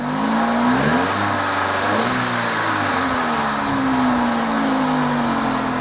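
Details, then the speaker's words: Vauxhall Corsa 1.2 petrol engine after service (oil, filter, air filter, Bosch Super 4 plugs): timing chain knock is quieter than before and stops as revs lift, leaving a clean rising hum. "it's a lot quieter than it was right maybe it's quieter than it was his loudest is in the air as well the moment there's echo in the bed it flows quite that it was and then when I rev it and it lifts the revs up there knocking stops on the chain"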